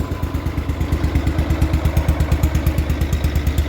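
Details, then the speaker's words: Barn-find 1973 John Deere 140 H3 tractor that sat about 20 years, after a carb kit, fuel line and filter: an even, steady thump at about three beats a second with no misses; a smooth, normal idle. "You just can't beat when they run this smooth like this after sitting 20 years."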